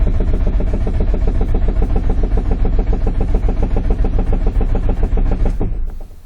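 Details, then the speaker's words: 2005 Nissan Sentra 1.8 with a misfire (P0304), cranked with the key on and the throttle floored for a relative compression test: even starter chugging, about three and a half beats a second, with matching compression pulses; cranking is normal and compression even. "vamos a abrir la llave vamos a pisar hasta el fondo del acelerador y entonces vamos a darle marcha"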